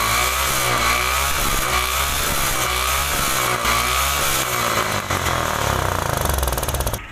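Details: Stunner bike after drilling holes in a choked silencer: crisp, free-revving single-cylinder exhaust note with a sharp rasp, no muffled or choked sound; exhaust flowing freely, pushing paper back and expelling carbon.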